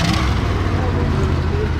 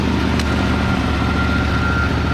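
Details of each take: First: 1963 Ford Fairlane 500 with 260 V8, first start in about 14 years: low idle with an uneven, lumpy beat where some firing pulses drop out; missing on a cylinder, not smoking; suspected plug wire or valve, carburetor sticking a little. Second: 1963 Ford Fairlane 500 with 260 V8, first start after 14 years, fuel in the carburetor: deep even burble and steady low rumble with no knocks or misses; idles smoothly, throttle linkage spring loose and sticking, some smoke.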